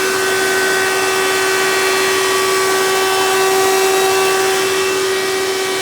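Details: 1992 Hoover Elite II 650 upright vacuum, model U4689-910, in tool mode with hose attached (direct-air fan): loud steady high whine over airflow rush. Runs loud; owner suspects dry motor bearings from little tool use, may oil them.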